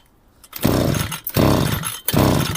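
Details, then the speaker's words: Grass trimmer deliberately flooded by pulling too long on choke after refuelling: three sharp pull-start bursts each catching briefly then dying; flooded engine with wet plug, won't start. "Зараз я її спеціально перекачаю. Все, вона вхопила. Вже треба було скидати. Все, не заводиться."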